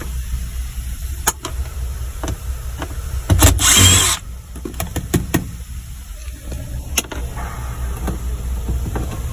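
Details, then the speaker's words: 420A Eclipse stalling; injectors, filter and pump previously replaced, owner suspects pump, relay or pressure regulator; cranks, catches with a rough burst then dies to uneven ticking; fuel pressure check confirms a fuel problem. "yep it's definitely a fuel problem"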